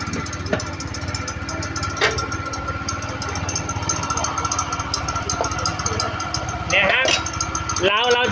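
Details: Honda Click 110 carbureted scooter idling with the belt cover off: uneven scraping, chirping metallic sounds from the rear pulley area, caused by the clutch housing fins rubbing the crankcase.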